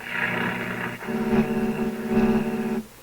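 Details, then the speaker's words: RCA Victor 65U tube AM radio/record player, warmed up with no hum: steady buzzing tones with a warbling roar on the AM band, suspected interference from nearby computer equipment. "That's the strangest thing, that sound. Pick that up in the AM band. No doubt it's computer stuff too."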